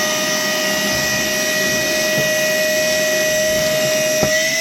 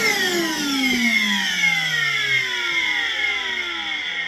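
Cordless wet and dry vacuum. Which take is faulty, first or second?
first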